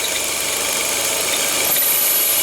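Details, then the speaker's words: Idling engine with a thin, high cricket-like chirp that stops when the dipstick is pulled and returns when refitted; PCV valve diaphragm torn, sucking air, also causing irregular mixture and O2 sensor oscillation. "Parou. Parou o barulhinho do motor. Ela parou o grilinho, ó. Tá tá puxando ar o bloco da vareta, né?"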